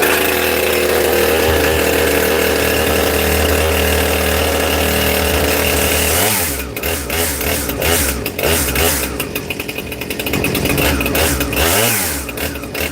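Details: New Husqvarna 460 Rancher chainsaw, first start out of the box with the decomp used and choke off; it seems already tuned. It holds a steady, crisp high idle, then revs cleanly through cuts with no stumble or misfire. It runs healthy.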